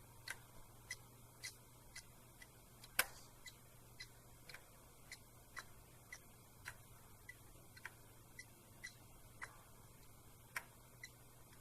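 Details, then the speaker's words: Faulty laptop SATA hard disk, removed and run through a SATA-to-USB adapter on a working laptop: sharp, evenly spaced clicks about twice a second over a low hum. A mechanical failure, the click of death, so the disk needs replacing. "now since this hard disk is faulty we should be able to hear clicking noise just listen carefully now you can hear a sound"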